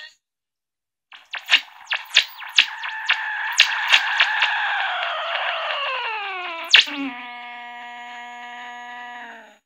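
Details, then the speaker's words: Regenerative AM radio with BB112 varactor diode tuning, ferrite antenna, two preamp stages and Class AB amplifier: tuning across the band gives a string of whistles sweeping in pitch, each one a station; normal regeneration heterodynes. "now let me go ahead and just kind of go from where we are now to the other extreme and you'll hear a bunch of feedback whistles"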